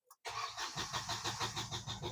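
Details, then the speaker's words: Diesel car no-start diagnosis: steady starter cranking with an even chug of compression pulses, about eight a second, never catches; tachometer needle rises, so ECU, its fuse/relay and crank position sensor are fine, fuel system suspected. "है तो RPM काटा उठ रहा है मतलब हमारे issue में या फिर इशू का पीयूष इशू का रिले है उसमें कुछ प्रॉब्लम नहीं क्रैक पोजीशन सेंसर है उसमें भी कुछ प्रॉब्लम नहीं है"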